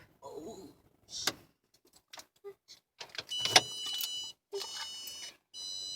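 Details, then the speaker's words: 2015 Hyundai Accent, in park, right after turning the engine off: short high electronic beeps in separate bursts among handling noises; strange warning beeping that began this week, cause unknown. "attempting to record the strange beeping noise my 2015 Hyundai Hyundai Accent is making"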